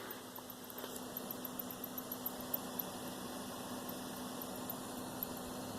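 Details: Xbox One S console (2018) making faint, high, chirpy squeaks repeating a few times a second over a low hum from inside; cause unknown, owner cannot fix it.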